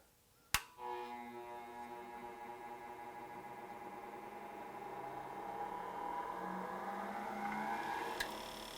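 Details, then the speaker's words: Hercules 8-inch variable-speed bench grinder at its lowest setting, 2000 rpm: click, then a clean tone that climbs smoothly and holds with no wobble, rattle or vibration. "look at that no vibration the other one almost vibrated off because that wheel what a huge difference now I like this I actually like this"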